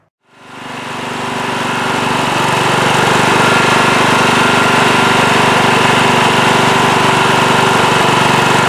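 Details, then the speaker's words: Late-1990s Scotts lawn tractor with single-cylinder Kohler engine, after carburetor cleaning and reassembly to cure surging: starts, slight initial surge, then a steady, even drone at smooth low idle; running normally. "yes seems to be running a lot better now when i first fired it up it did have a little bit of a surge and maybe it still has a slight hiccup but it's pretty good really smooth there low idle also that feels a lot better"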